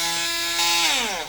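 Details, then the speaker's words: Portable rechargeable blender juicer after repair: it was dead (blue light only, blade not turning) because of a disconnected motor wire, now resoldered. High, clean motor whine holds steady, then winds down smoothly with no grinding or rattle, working normally. "and as you can see it is working double click single click is working we fix it"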